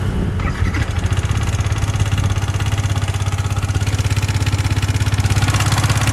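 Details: Yamaha MT15 single-cylinder at idle, owner reports engine noise growing louder over about two months: steady low thrum with regular tapping about 200 a minute; cause unknown, showroom visit planned.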